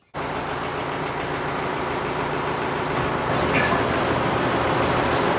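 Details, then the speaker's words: New Holland BR770A round baler after fire repairs (new main drive roller, all belts, several bearings): an even mechanical churn at about four beats a second with no squeal or knock. Much quieter, running normally. "oh yeah much quieter"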